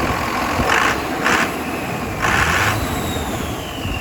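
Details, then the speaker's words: RAM 2500 Cummins diesel after turbo rebuild, new turbo with slight shaft play but spinning freely: steady idle with a clean turbo whistle rising on each throttle blip, spooling better and building more boost than before. "You can hear it spin a lot better. Building a lot more boost than it was."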